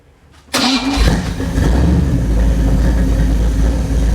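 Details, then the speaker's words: Test engine running an Agostini carburetor after clearing Teflon tape from the needle and seat: catches on the first crank and settles into a steady, even idle with no stumbling, misses or leaks; normal start and idle. "sounds good looks good and it does not leak"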